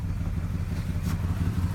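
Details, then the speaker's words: 1995 Nissan Maxima A32 at idle: very shaky, rough lumpy exhaust with uneven thumps as if missing, rpm needle bouncing around 500–700; goes away when revved; when idling rough it won't restart without throttle. Later fixed by replacing injectors, EGR system, coolant temp sensor, vacuum hoses. "very very shaky very nasty also the exhaust sounds different"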